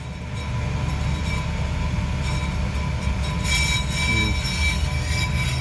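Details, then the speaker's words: On-car brake disc lathe resurfacing a rotor for brake judder felt in the steering and pedal; tool fed in until it squeals steadily over the spinning rumble, showing the cutter biting the disc. "ให้หมุนก่อน>>ได้นี่หมุนเข้าไปให้มันดังจี๊ดๆๆๆนะครับผมเห็นมั้ยครับ"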